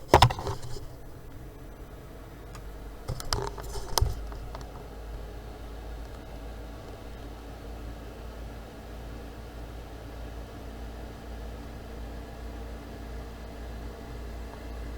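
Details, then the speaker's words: PC fan boosted to full speed via MSI Afterburner while the computer had apparently warmed up, temperature then starting to drop: a steady, even rush of air with no rubbing, ticking or wobble, graphics card fan spinning flat out and healthy. "Evet Evet şu an fanım çalışıyor Bu arada bilgisayar Isındı galiba"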